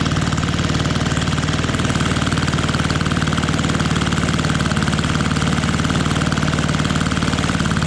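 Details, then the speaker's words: Fiala Valach VM70V1 70cc four-stroke, newly installed in a Hanger9 X-Cub RC plane restrained outdoors in cold, snowy weather, first run: crisp, even firing pulses at a steady fast beat, no misses or knocks; smooth, healthy running. "now this is a four stroke so it takes two revolutions to get to that compression oh listen to that i love it i love it"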